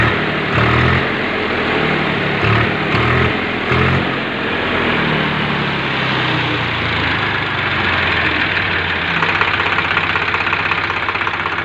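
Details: Swaraj 735 tractor diesel, seized from overheating, restarted after repair: starts and settles into a steady, even idle with regular clatter, normal diesel idle.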